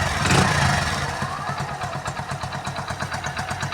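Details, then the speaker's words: Hero Splendor single-cylinder motorcycle after full engine rebuild with piston rings fitted (previously knocking, smoking, oil neglected); steady even putter at idle, no knocks or rattles, healthy. "ਬਹੁਤ ਪਿਆਰੀ sound ਬਣੀ ਇਹਦੀ ਕੋਈ ਵਾਧੂ ਘੱਟ ਆਵਾਜ ਨਹੀਂ ਕਰ ਰ"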